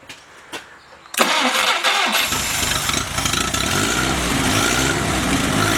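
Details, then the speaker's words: Rebuilt F-head engine with a new carburetor, adjusted and not yet road-run, at 165 degrees with good oil pressure: short crank, fires right up and settles into a steady, fairly even idle with no knocks; timing is close. "Okay, it fires right up. Timing is close. Everything is very close."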